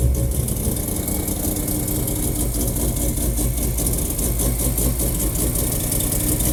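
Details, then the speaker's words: Mazda RX-7 FD rotary after replacing ignition wiring with new AEM IGN1A smart coils and harness, first start after six months down: deep, steady even idle burble with no misses or hunting; healthy warm-up idle. "yeah listen to that fired right up okay check everything"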